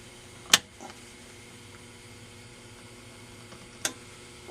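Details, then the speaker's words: Standard Business Machines Magnescriber Deluxe model 160 wire recorder, most capacitors replaced: on fast-forward a relay clicks, then only a faint hum; no motor receives power, so fast-forward and rewind fail. "hear that little click that's that's relay acting your hum 2 is probably as it sends it through the coils see none of the motors are receiving power"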